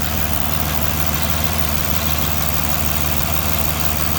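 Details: 2009 Aston Martin DB9 V12 at idle: loud random ticking with stumbles, cylinder 6 misfires near RHS intake; stops above 900-1000 rpm; caused by sparks arcing onto inlet manifold, fixed by replacing #6 ignition coil.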